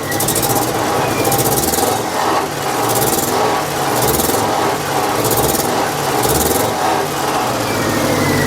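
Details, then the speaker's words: 1998 Chevy Tracker with a varnished fuel system and injector problems. Uneven, loping idle with missing beats. Pulling plugs one and two nearly killed it, while pulling three and four made no change. Misfire from incorrect firing order. "okay doesn't sound great doesn't look like it's running good that didn't sound good"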